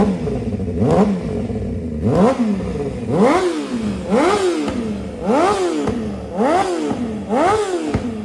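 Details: 2007 Honda CBR600RR with CS Racing full exhaust, repeated quick revs producing a light metallic clatter and tick rising and falling with each blip; owner suspects header leak tick or cam/timing chain rattle, unconfirmed.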